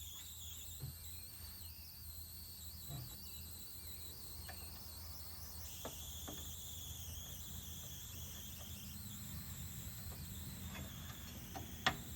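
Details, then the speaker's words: Newly acquired arcade cabinet powered on: thin steady high squeal over quiet hum, small handling clicks, no game sound; squeal cause unknown, owner suspects sound amplifier chip or bad speaker for the missing sound. "But I hear like a little bit of a squealing sound, and I don't know what that is."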